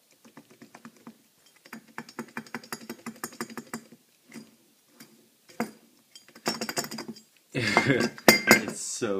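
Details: 2001 Jetta 1.8T left wheel hub and bearing removed from the car, rocked and turned by hand: loose metallic clinking and rattling; bearing shot, made the car roar like an airplane while driving; right side was quiet.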